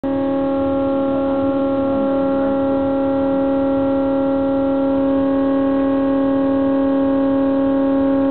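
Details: New LG refrigerator making a loud, steady siren-like wail with a strong low tone and ringing overtones, often occurring around 1–2 AM.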